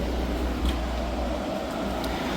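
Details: Hyundai portable AC after leak repair and recharge (it had gone warm after two weeks), drain tube added: loud but steady hum of compressor and fan, no rattles or cycling, running normally on full cooling with the air nice and cool.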